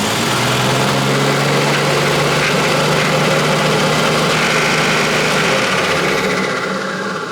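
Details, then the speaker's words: Nissan R33 Skyline with swapped RB25 engine, first start: catches instantly but runs rough and uneven, stumbling with exhaust spitting; base ignition timing checked spot on, cam angle sensor suspected of throwing timing. "okay so i'm gonna call it and say the cam sensor is not working i know you all told me so but i was being faithful"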